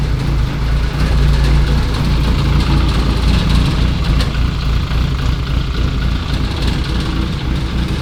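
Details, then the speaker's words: Lotus Elise with Duratec engine after track-day breakdown, idling while coolant circulates before bleeding air: rough steady idle with buzzy metallic rattle from a just-unfastened sheet-metal panel. "la tôle qui vibre, c'est normal, hein, vu que je viens de la décrocher."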